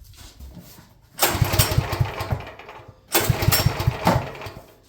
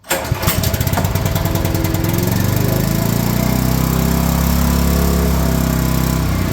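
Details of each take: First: Champion generator that has sat at least a couple of years, owner suspects it is low on gas: two recoil pulls with quick chuffing compression strokes that never catch; cranks but won't start, stale fuel. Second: Champion generator after sitting a couple of years, stale fuel cleaned from the carburetor, run at half choke: cranks, catches and settles into a steady, even drone with only a brief dip. Normal running.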